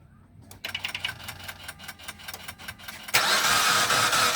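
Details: Mitsubishi Outlander 4B12 with the battery charged overnight and the rocker cover off. Steady cranking at about 3.5 beats a second; the engine turns freely and the camshafts rotate, but it never catches. Cranks, no start.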